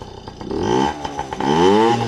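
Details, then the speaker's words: Yamaha PW50 two-stroke after carburetor clean and reassembly for bogging and dying at wide open throttle: buzzes into life and settles into a sputtery, rising warm-up idle, blipping between revs; starts and runs fine. "So, safe to say the carb is clean. We're just going to run it dry now. I'm sure the neighbors love this part. Sounding good too."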